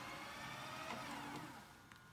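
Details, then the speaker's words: Panasonic PV-V464S VCR during rewind: light, steady mechanical whir with faint gear chatter easing toward the end, ordinary gear noise with nothing wrong. "let's hit stop words for Justin rewind and you're gonna hear the gears turning listen those are the gears turning right there that's all it is"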